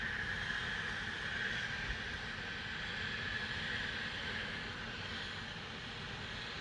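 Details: Loud continuous airy hiss with steady high whistle over low rumble; Spooner Industries, Ilkley, 6 April 2021, 8.45am, recorded within a neighbouring property boundary, audible over 100m away; venting or leak, cause unknown.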